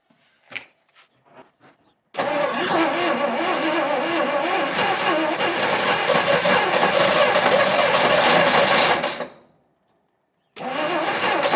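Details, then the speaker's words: 1959 Studebaker Lark, 259 V8, sitting 36 years. After cracked spark plug wires were replaced, the starter spins the engine steadily for about seven seconds, pauses, then cranks again, but it never catches. Owner suspects the spark plugs. "all right well it's trying but uh it's all I got time for today so I guess they get more plugs"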